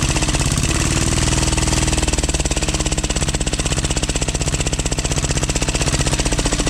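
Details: 12 HP air-cooled single-cylinder diesel, test run after overhaul; it had run once and then become hard to turn (owner suspected piston), valve clearance reset and oil added. Fast chugging, about four beats per second, settling into an even rhythm. Normal running.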